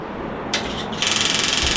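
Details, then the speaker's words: MV Agusta 1090R motorcycle at key-on, engine not running: rapid even metallic ticking about fifteen clicks per second; owner traced it to an unidentified component that stops clicking when set facing upward. "So another thing that was worrying me about this bike is that whenever you turn this bike on, it makes a clicking noise."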